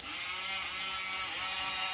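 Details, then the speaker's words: 50cc scooter starter motor bench-tested on temporary wiring: high, even electric whir with a fine buzz, spinning freely and turning a screwdriver; the starter motor turns fine. "all right so just as a quick test uh oh what's happening okay it's spins the screwdriver"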